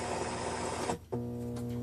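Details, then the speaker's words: AM part 15 transmitter powered by a typical cheap eBay power supply, heard on a nearby radio: a loud, steady low buzzing mains hum with strong overtones, caused by transmitter RF getting into the mains through the non-RF-immune supply. "now as you can hear that hum's pretty loud um very loud in fact and that's what a lot of people experience when they get transmitters and stuff"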